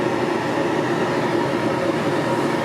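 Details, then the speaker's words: Rockwood Geo Pro 19FBS camper furnace tested during summer prep: steady, even rush of air with a low hum underneath, no rattles, scraping or surging; blowing out heat. Normal furnace blower running. "Alright, so we'll test the heater. Not that I heat this time of year, but just want to check everything."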